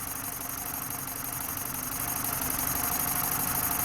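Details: BMW 318Ci Cabrio 2.0 N46B20 150 hp petrol idling unevenly with a stumbling beat and strong airy hiss. An intake vacuum leak through an unsealed hose made cylinder 4 misfire despite a new coil, new plug and good compression, with fuel trim up to +15.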